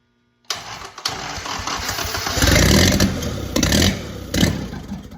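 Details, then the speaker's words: Original WWII Willys Go Devil engine running after its first start in decades: catches and settles into an even beat with throttle blips, sounds healthy, and the owner thinks timing is close. Normal running. "I'd say my timing's probably pretty close there. Woohoo! Dang, that sounds perfect."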